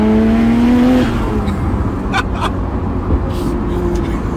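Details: Nissan R32 Skyline GTR after repair, driving at about 2000 rpm in fourth gear with a brief rev. A smooth exhaust drone with no blowing or chuffing. Finding: normal exhaust note.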